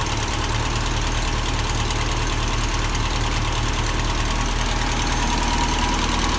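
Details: 1979 Toyota Corolla SR5 TE37 before tune-up (plugs, cables, cap and rotor): starts first try but runs rough, cold idle with uneven lumpy beat about four per second and slight knock over the hum; rough idle, cause suspected, not confirmed.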